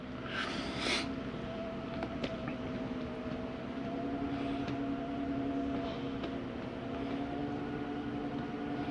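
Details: Jayco Eagle 24RE, LED awning retracting: quiet even motor hum at one low pitch, no clicks or strain, stops on its own; normal awning retraction.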